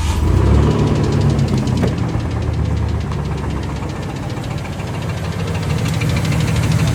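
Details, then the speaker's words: GMC Jimmy truck, engine failed halfway to an off-road trip: heavy regular knocking about four per second over a rough-running engine, knocking badly, cause not stated. "it's knocking pretty bad. And then I decided, you know what? I'm done with the Jimmy."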